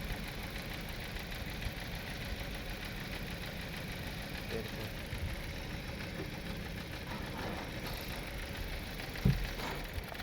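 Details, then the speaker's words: 2016 Toyota Corolla Grande 1.8 four-cylinder petrol idling rough and lumpy: cylinder 2 not firing, and the car stalls when put in gear; coil gives spark, spark plug next to be checked. "ये 2 number cylinder इसका काम नहीं कर रहा।"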